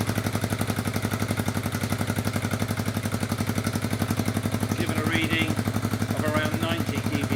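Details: Honda Bros RC31 just fitted with a Fuel F1R stainless road exhaust and short 250mm can: steady, even thumping idle about four pulses a second, throaty exhaust, no ticking or knock; runs well.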